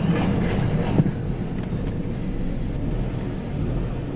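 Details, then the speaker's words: 2004 Chrysler Pacifica petrol engine running with uneven, stumbling beat and irregular low thumps: persistent misfire; the coil was not the problem, a bad wire in the wiring harness is the cause. "yeah definitely still has the misfire chickens and line ain't going away from nothing"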